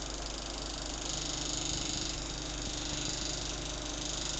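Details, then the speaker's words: Venol household fan running: steady hiss with a rough scrape about three or four times a second, as the slightly tilted blade's upper part catches the inside of the plastic grille. "a hélice ó a hélice ela tá pegando aqui ó nessa parte porá de dentro aqui ó Nessa grade aqui de plástico ó aí ela fica fazendo esse barulho ó"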